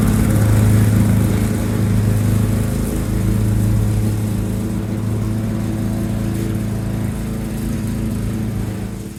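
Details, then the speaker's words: 1987 Lawn-Boy 8073B two-stroke mower, first start after almost a year sitting, new capstan rollers: steady low drone, no misses or knocks; hard starting but runs fine. "It's hard starting, but seems to run fine."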